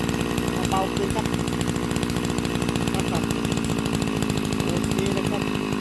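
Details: Type 328 brushcutter engine converted from a float carburetor to a diaphragm-pump carburetor, cylinder flipped to the top, idle adjusted: a fast, buzzy two-stroke crackle at constant speed without stalling or hunting. Normal running.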